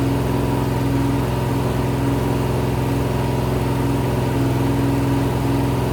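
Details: Rebuilt 426 Gen 2 Hemi crate V8 (new heads, intake, pistons) on run stand, flat-tappet cam break-in, ~15 min in, ~210°F: steady fast idle around 2500 rpm, smooth unbroken drone, no ticks or knocks; normal.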